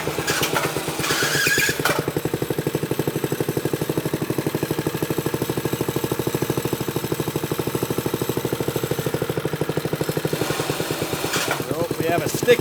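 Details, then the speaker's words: "Piglet" minibike, Briggs & Stratton single-cylinder just revived: rapid uneven chattering pulse at low revs as the sticky centrifugal clutch engages too early and chatters; suspected missing or worn springs. "sticky clutch foreign heard that the clutch is engaging itself way too early and chattering so I'm going to pull this off and see what's going on"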